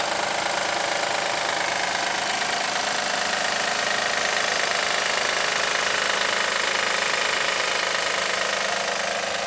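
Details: 2007 Acura MDX engine at idle: steady regular tapping knock near four per second over the engine note; owner suspects the belt tensioner again, not confirmed.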